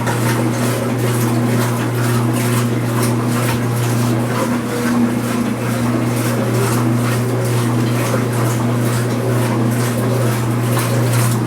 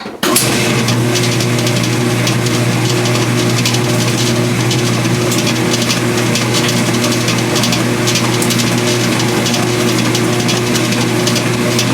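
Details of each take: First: Speed Queen washer during agitation, not spin, after a repair of its earlier loud rattling: an even motor hum with a soft regular swish and no rattle, with the microphone near the camera. It is quiet now, especially with suds. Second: Speed Queen washing machine during agitation, not spin: loud steady drone with light metallic jingle like coins or pennies rattling; a loose washer vibrating and jiggling, fixed by greasing the washer.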